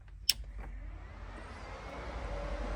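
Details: Mid-engine RWD Scion xB swap project during wiring, before first crank: a sharp click, then a soft airy whoosh building over a couple of seconds as the electric cooling fan spins up, working normally.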